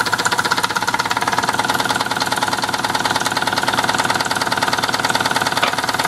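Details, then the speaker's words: Mamod twin-cylinder toy steam engine (SE2/SE3): fast, clattery chuffing at a steady rate with slight unevenness, idling a bit rough like a diesel; cause not confirmed. "like a diesel M it idle bit rough"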